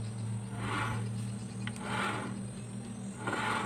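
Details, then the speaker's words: Carburetted Honda Beat (about 2010-2012) CVT after replacing the two worn bearings, rear wheel turned by hand with clutch held: soft, even whooshing, no crunching; smooth rotation, no bearing noise. "sudah guys tidak ada bunyi kresek kresek oke halus"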